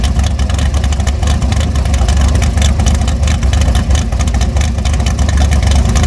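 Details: Twin-turbo-build big block Chevy on a stand at first fire-up outside at 18°F, timing not set, carb a little small, revved to 6,000 rpm; uneven, choppy rumble; rough running.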